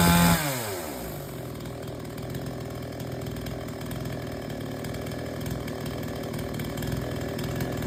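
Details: Chainsaw that would not take load, after H/L screws set fully in, then out three turns. It drops into wood and holds a steady, strong buzz without bogging: normal cutting under load.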